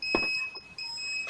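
Shrill electronic beeping, steady high pitch in short repeated bursts: the cell has hit its set voltage, so disconnect the battery now.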